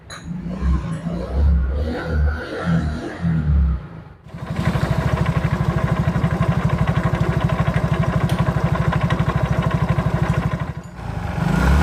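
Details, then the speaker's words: Mio GT scooter before repair, complaint of harsh noise: steady rapid knocking, about three per second, in the CVT case at idle, from a worn rear pulley. "dapat itulah suaranya suaranya itu ada suara klotok klotok klotok seperti itu pokoknya di bagian rangka CVT ini kasar sekali"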